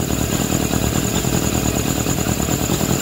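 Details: GSF600 motorcycle with four carbs, owner suspects a vacuum leak at intake boots, possibly carb #3 or #4, burping returning after petcock vacuum hose reattached: lumpy, hunting idle with irregular stumbles and burps; erratic idle, cause unconfirmed.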